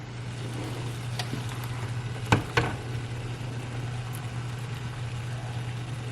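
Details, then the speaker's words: Cold-packed quart canning jar with ice water, straight from the refrigerator, put into boiling water: under a steady boiling rumble, two soft sharp cracks as the jar bottom splits from the temperature differential; thermal shock crack. "Now when I put this in, it's not going to explode. You should hear a soft crack."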